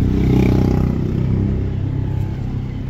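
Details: Toyota Wigo idling rough with a lumpy low beat, cylinder 3 misfiring; scan shows P0203 injector #3 circuit fault, one cylinder dead.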